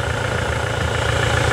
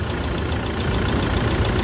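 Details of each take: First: Toyota SW4 2017 with 2.8 1GD diesel, engine fitted after the original ingested water and dirt through the intake, idling with oil pressure over 4 bar: smooth, even idle with steady low rumble, no knocks or misses. Healthy engine. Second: Toyota SW4 2017 with 2.8 1GD diesel that ingested water and dirt through the intake, idling after washing and new filters, diesel and oil: steady hard knock tapping through the clatter. Bearing damage; engine condemned.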